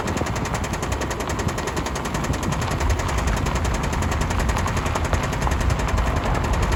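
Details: 2005 Subaru Outback XT on a short drive: a fast, fairly steady knocking hammers under the engine noise. The owner suspects rod knock; not confirmed.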